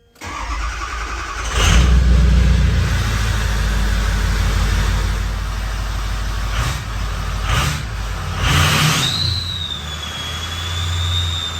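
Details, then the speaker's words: Ford 6.0 Powerstroke diesel, previously rough running, after FICM replacement: cold start after sitting two days near 30°F, cranks briefly, fires promptly, steady even idle; FICM voltage 48.5–49 V, running smooth. "vikkam is staying right here at 48.5 to 49. she's running smooth so we're gonna let her warm up a little bit more"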